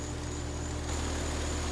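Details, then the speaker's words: Carrier heat pump outdoor unit after replacing run capacitor and cleaning contactor wiring: even low compressor hum under steady fan rush, constant tone, no knocks or rattles; running and cooling normally. "all right so it's up and running and cooling"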